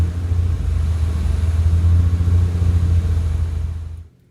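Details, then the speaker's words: Lamborghini Countach LP400S replica, tachometer being tested; deep steady rumble leveling around 1800 rpm and not dropping as the idle air control valve should act, then shut off; normal should be 600–800; high idle speed. "so as we saw it looks like it's leveling out around maybe 1800 rpms which is way too high"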